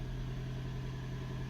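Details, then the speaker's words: Hybrid car after 12 V battery replacement, engine brought in by pressing the throttle: steady, even low hum with no knocks or misses, pulling in smoothly and running cleanly; all healthy. "the car is Happy it will kick in once the battery gets a little bit low but I can just for it to kick in by putting the throttle"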